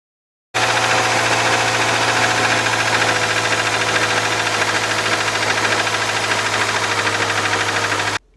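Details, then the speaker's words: Subaru boxer engine running: fast, fairly steady metallic ticking, about three per second. It comes from the worn timing belt idler pulley, which has been hitting the metal, not from the engine itself. "владельца subaru кто [ __ ] подгоняется что не стучит мотор это стучит вот эта [ __ ] натяжной ролик"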